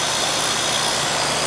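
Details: Ruud first-floor AC condenser after replacing a bad capacitor and the blown-off compressor common wire: steady fan rush over an even hum, no buzzing, clicking or labouring; lines cold and sweating, charge fine; normal running.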